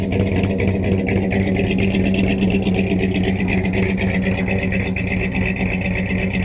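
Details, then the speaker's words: 1971 Dodge Sweptline big-block V8 after fuel flooding hydrolocked the rear cylinders, idling: low rumble with slightly uneven beat evening out as it clears; fuel still coming out the exhaust, blue oily smoke from passenger bank. "Man, she just drowned in fuel. Still putting out a lot of fuel through the exhaust. Sounds like she's cleaning up a little bit."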